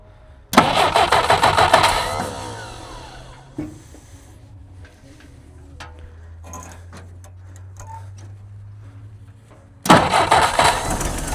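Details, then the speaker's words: Jeep sitting 25+ years, first start on a temporary fuel cell with fuel splashed down the carburetor while priming the pump: catches a second or two, sputters and dies, then cranks again; sputtering start, serious fuel leaks noted. "There she goes. There we go. Come on. Oh, little sputter. It's trying. It's trying."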